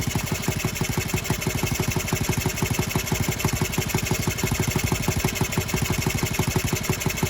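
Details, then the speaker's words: Honda Z50R during restoration, first start with muffler on, no choke: idling single with fast metallic chatter each firing pulse; cylinder head found loose and leaking, exhaust gasket also rattled. "we got a cylinder head leak yep cylinder heads loose well that's fun it's not a big deal though i mean little leaking cylinder head it's still running ridiculously well right there"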